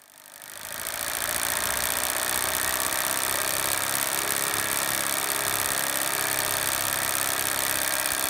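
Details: Impulse-coupled magneto on a test stand at 1000 RPM: quick, even snapping spark over the drive's hum, no gaps; constant spark, not missing, phone camera adds visual irregularity only.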